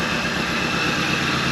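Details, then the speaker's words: 1983 Thunderbird Turbo Coupe 2.3-liter turbo, first start in 20 years: smooth, even idle with a steady hum and light hiss, no knocks or misses; normal idle. "so quiet"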